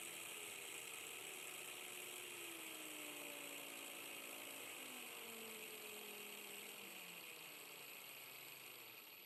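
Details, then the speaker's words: 12–24V 30A LED strip PWM dimmer used as a speed controller on a 19.2 V, 7000 rpm motor, set to minimum: a thin, steady high-pitched whine over a slow, quiet motor hum as the windings whistle; the whine disappears at higher speeds. "Hier wird die Geschwindigkeit geregelt, aber auch dieses Piepen ist zu hören. Ich habe es auf Minimum gestellt."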